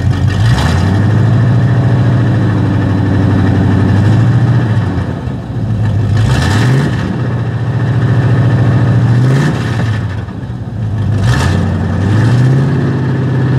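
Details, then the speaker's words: Chevy C30 carbureted V8 with mufflers cut off, parked at high idle: loud open-exhaust rumble with repeated clean blips returning to steady idle; runs normally at rest. "so i mean it sounds good when it's when it's at rest but let me get out here on the highway and try this out see what see what it does"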